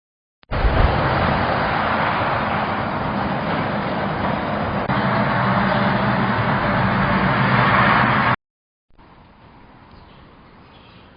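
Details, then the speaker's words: Mechron 2450 small farm carrier noisy on hills and rough roads; O-ring replaced, belt and transmission oil checked OK: loud rough engine roar with a loose clattering rattle while driving, from a broken part. "언덕을 올라간다거나 조금 합한 길에는 소리가 많이 나가지고 점검을 하고 있는데"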